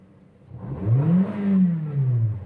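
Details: Toyota Vios Dual VVT-i with a hard starting problem, revved: clean, smooth rev rising and falling evenly with no misses, stumble or hesitation; healthy under the throttle blip.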